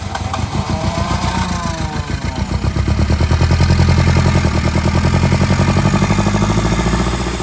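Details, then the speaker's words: Engine cranked with part throttle on new plugs, runs lumpy with sharp exhaust pulses rising and falling with revs; popping through the exhaust, a backfire. "what have you got in the exhaust Dynamite well nothing now"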